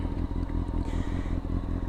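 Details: Used motorcycle during a buyer's inspection: steady, even idle with a smooth low thrum and no knocking or ticking; normal idle, engine sounds healthy.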